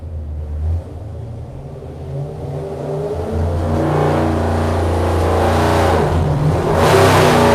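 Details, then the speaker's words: Engine revved toward 5400 rpm: revs climb smoothly to hard roar, then note goes ragged and stumbles near top; engine breaking up at high rpm. "you know what we watched the video later on to me it's all in what i'm hearing you can hear it too hear it break up"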